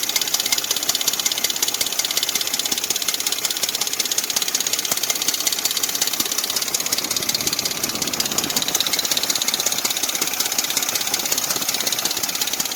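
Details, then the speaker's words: Dodge Dakota 4.7 engine idling before a timing chain replacement: fast dry metallic chatter over the idle; visibly loose timing chain slapping against its guides. "that's where you guys chatter you hear that so that's what you're hearing the chatter on that chain now got it down to here as you can see here how loose this chain is that's the noise is here slapping up against there"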